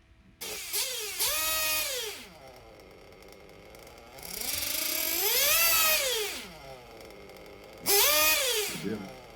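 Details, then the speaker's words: 1/8-scale RC nitro engine during slow throttle sweeps: revs rise and fall and hesitate partway up, a lean mid-throttle section where too little fuel gets through, then picks up with smoke returning. "so you heard that when i went slow there was that one section of throttle where it was lean not enough fuel was getting in"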